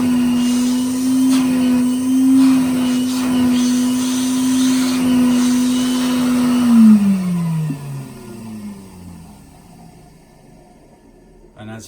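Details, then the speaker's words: 1961 Bylock coffee table vacuum cleaner after repair, with improved suction: the motor runs with a steady, even whine, much better than before, then is switched off and winds down; normal motor whine. "can hear that whines damn so much better than what it does"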